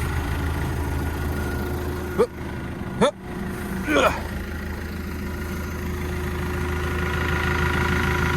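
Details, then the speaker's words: Develon DD130-7 dozer after an engine oil change and fuel bleed, with dust cleared from the air filter: steady low diesel idle with an even light tick, no misses or knocks; the engine sounds healthy. "Ticking away. Everything sounds good."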